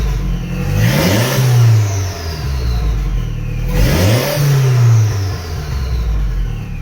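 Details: Toyota MR2 with an Audi 1.8T engine swap after days of diagnosis: an even four-cylinder idle that picks up cleanly on two throttle blips. Pitch rises and falls smoothly; the earlier knocking from bent rods is gone.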